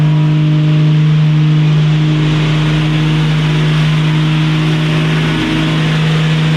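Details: 1965 Mustang inline six after carburetor work, accelerator linkage left unhooked: loud, steady high-rev roar held at full throttle with no return to idle.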